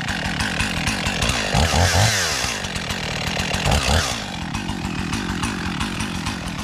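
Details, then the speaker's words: Husqvarna 55 Rancher two-stroke chainsaw, bought as a non-runner and fixed, cutting a pine tree: steady high buzz dips slightly as the chain bites, then climbs back to full revs; the saw pulls cleanly. "all right there's a pine tree that I want to cut down we got too many Pines around here anyways the trash trees and uh can't call this fixed until we cut a tree down with it"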